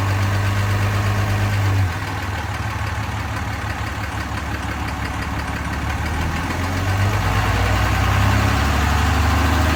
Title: 2015 ram 2500 6.7 Cummins ticking sound?